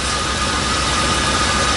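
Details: Van with a cold engine on a 30-degree morning, just jump-started from a dead, tired battery with a NOCO GB30 lithium jump pack: steady even idle with low rumble and faint hiss, no knocks or misses; running smoothly after the cold start.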